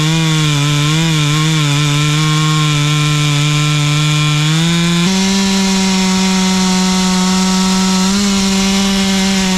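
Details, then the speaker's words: Stihl 044 chainsaw rebuilt with a cheap Amazon cylinder, piston and carburetor kit, OEM coil, cutting wood: crisp, steady two-stroke scream that dips and recovers under load; strong and clean. "For a cheapy Amazon rebuild kit, I'd say it's running pretty good."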